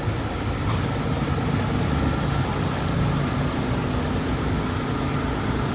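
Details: Suzuki Multicab after a crank-no-start traced to a clogged carburetor: starts on one click, smooth, even low idle with steady beat, no misses or knocks, no smoke; normal idle.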